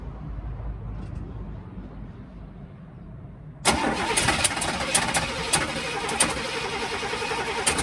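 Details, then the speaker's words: 1971 Cadillac Coupe de Ville sat 15 years in a backyard, first start attempt with starter fluid and gas poured in: quiet cranking then uneven sputters and pops, wanting to catch but not idling; hard start. "so we're getting so we're getting something it's wanting to start so we're heading into good uh a good direction"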